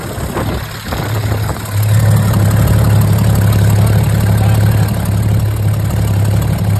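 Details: 22-foot Sportsman boat engine after rod refit and replacing a fuel pump with cracked diaphragm by a rebuilt pump from another engine; deep, even low rumble holding steady without misses: now getting fuel and running normally.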